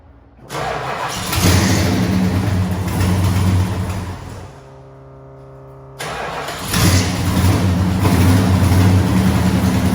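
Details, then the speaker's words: A12 muscle car with headers dented to clear the valve cover: cranks and catches into loud, rough, raspy idle from a hole in the header; exhaust leak, cold start. "well there's a hole in this header and it literally bounces off the valve cover it is very obnoxiously loud"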